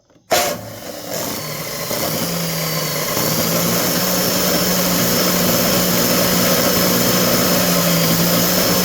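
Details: DeWalt DW871 14-inch cutoff saw, about 20 years old, bogged down and smoked cutting steel: steady hum with a raspy, crackly edge from heavy arcing. Owner suspects worn brushes and a dusty, dirty armature; bearings sound good.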